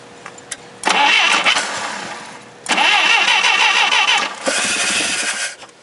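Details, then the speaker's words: Clark C500-45 propane forklift after tune-up (new plugs and wires), old distributor cap refitted in place of the new one: strong, even cranking in bursts, but it never catches; cranks, won't start; new cap suspected of not making contact. "well it doesn't start maybe a cap does fit I need to try it tomorrow"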